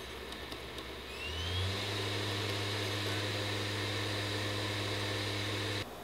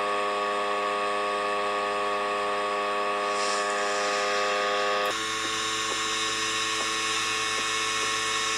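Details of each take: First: PS5 Slim console: smooth, even fan whir that swells once and then holds steady, with no buzz or rattle; normal fan running noise. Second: PS5 Slim console with a loud steady high buzzing hum, a sharp change partway and faint ticks, from either the detachable disc drive or the cooling fan, not confirmed; loud buzzing.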